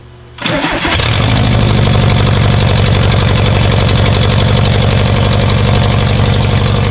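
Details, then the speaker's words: VW T3 1984 bus with swapped 2.5 engine, first start after wiring: brief crank, fires right up and settles into a steady, even idle with no misses or knocks; runs nicely. "that was really good that runs mint no fire's right up runs nice idle's nice"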